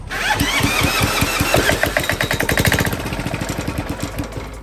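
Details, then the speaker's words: Yanmar L40AE-DB diesel go-kart engine, old and rusty, fuel reaching injector line, muffler off: sharp chuffs about three or four a second then fade; fires briefly on ether (starting fluid) only, sounds terrible. "oh that sounds terrible let's get that terrible Muffler back on it"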